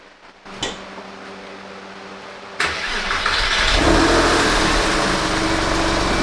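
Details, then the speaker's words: Salvage Porsche 996 911 started after an oil change replacing decade-old oil; catches after a short crank, settles into a steady, even run with rising revs, no knocks; sounds a lot better. "[Music] Sounds a lot better."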